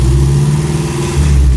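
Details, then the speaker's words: Toyota Corolla KE55 4K-C at first start after a long lay-up. The throttle adjuster had been turned all the way up, so the engine holds a fast, steady, too-high idle with no throttle input; distributor also being adjusted. "a little bit of adjustment on the um the throttle adjuster here someone had that turned all the way up so it was revving really high it was up like this"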